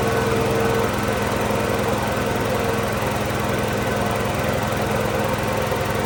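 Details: Tow-behind mott mower motor on a Cub Cadet garden tractor, after the motor install and greasing the pillar-block bearings: steady single-cylinder buzz with even firing and no misses, normal running.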